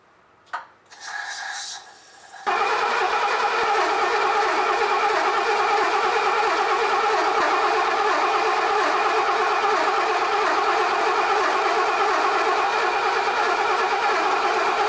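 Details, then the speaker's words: Mercedes 250 (W114) parked for decades, cranked on a jump box after adding gas; about twelve seconds of steady, even churning, roughly three beats a second, never fires; cranking, no start. "sorry guys no start today i feel bad i thought we'd get it going i thought we'd at least make some fire but she doesn't want to start"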